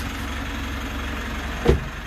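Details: 3rd-gen Mitsubishi Montero/Pajero Sport diesel started after about two months sitting in quarantine; battery reads 14.1, key fob battery low. Starts normally; steady, even low diesel idle with no misses or knocks: normal diesel idle.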